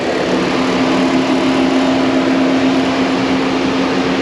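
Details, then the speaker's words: Radiator cooling fan switched on via scan tool actuation test, no fault codes stored: steady loud whoosh with an even low hum, no rubbing or ticking; fan works normally. "after a certain amount of time it'll turn it back off that's too long I waited enough off off now it shuts off permanently"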